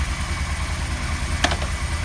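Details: 1977 Kawasaki KZ1000A four-cylinder motorcycle, 27,004 miles, recently recommissioned to stock: even, steady low idle with a smooth, regular beat, no knocks or misses apart from one brief click; a healthy, quiet-running four.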